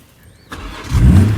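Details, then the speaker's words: Cheapest salvage BMW X3 M40i on a trailer, restarted after a leak check: brief crank, then it catches at once and settles into a firm low rumble. Normal quick start. "we go starts right up"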